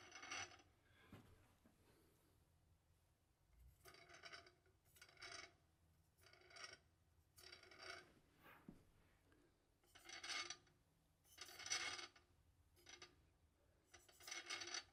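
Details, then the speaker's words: Replacement DJI Inspire 2 after only two flights: short dry, gritty rasping scrapes with each hand turn of all four props in a quiet room; something is rubbing inside the motors. "now I've been on two flights so far just two since I got this and it didn't make any prop nose initially but after the second flight here's what I'm getting from the props all four of them you can hear that noise"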